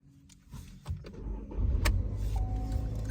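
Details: 2018 Chevy Malibu that had a no-start with code U18A2, the ECM losing communication with the fuel pump module: cabin noises, then it fires right up and settles into a steady low rumble without stumble.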